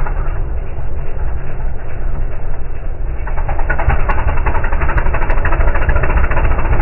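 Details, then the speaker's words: Air-cooled dune buggy driving past after its carburetor was cleaned and retuned: an uneven, lumpy beat and raspy exhaust, barely improved; still running rough. "yeah could use some carburetor work that sounds real bad"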